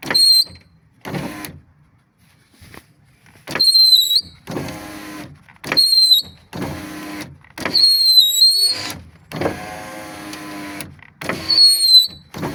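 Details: Subaru Legacy power window regulator: a thin, high whistle rises with each window stroke, repeating over several up-down cycles while the window motor runs.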